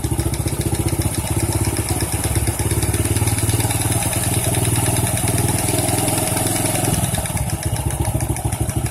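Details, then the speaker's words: Honda C-series small motorcycle at rough idle with a dull irregular clunk from the clutch side; inspection found one loose bolt striking the clutch when it operates, causing the knocking. "Oh setelah dicek ternyata ini ada satu bot yang kendor ya Jadi pada saat koping ke sini itu kena k kopling ya"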